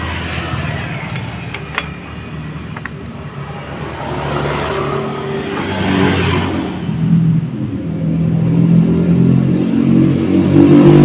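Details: Yamaha F1ZR two-stroke motorcycle after fitting a Suzuki Grand CDI: idles then revs up smoothly and freely, no knocking or rough stumble; running clean, normal running.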